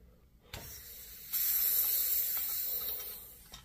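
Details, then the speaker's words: 1940 Preway two-burner antique camp stove with a soldered fuel tank, pumped up: a sudden high hiss for about two seconds as air leaks; the source is unknown, either the cap seal or the solder repair. "pump it up again and so something's leaking I can hear they can hear something leaking"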